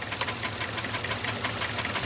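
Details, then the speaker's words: 2018 Ford F-250 6.2 V8 at idle: light, quick, even tick once per fan rotation, a clip rubbing the inside of the aluminum fan fins; worse at higher speed, harmless. "So, what that noise is is that clip right there rubbing on the inside of the fan. So, as you can see, you hear that it's rubbing only on one rotation."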